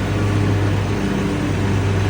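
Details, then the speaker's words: Scag Cheetah 61-inch third-generation zero-turn mower with EFI engine, driving while mowing: steady low, even hum with no knocks, misses or rattles; smooth, normal running, quieter than a smaller-engined Exmark. "One thing with the EFI engines, they're very smooth. You don't hear them."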